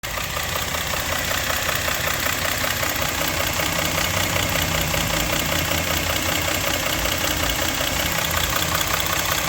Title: engine knock